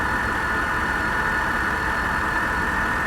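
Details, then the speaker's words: Salvage-auction 2018 Ford Mustang Shelby GT350 V8 at idle: quiet, steady idle with soft even hum and faint belt whir, no ticking or knocking; runs good and nice and quiet. "all right I mean she runs good guys she does she runs real good it's nice and quiet"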